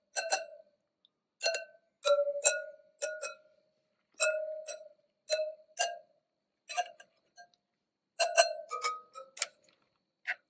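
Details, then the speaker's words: 2018 BMW R1200GS spoked rear wheel, bought at 350 miles: light taps on each spoke, most ring bright, duller shorter pings mark loose spokes, 14 loose on the rear. "that's 14 on the rear that are loose all right let's check the front then"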